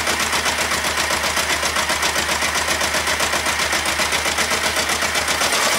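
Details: Kawasaki ER-5 twin at idle, reassembled, radiator cap off and fuel tank aside: uneven heavy thumping with occasional dropped beats, intermittently firing on one cylinder; cause unknown.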